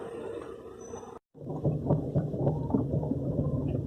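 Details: 2012 Ford EcoSport while driving: dull low thumps, roughly three to four a second, knocking intermittently under the front; a worn engine mount found as the cause and replaced with an original part, shock absorber also worn.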